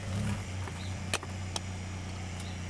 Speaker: It did tank quite a bit. Even the tack dropped pretty significantly. Yeah, she's doing it now.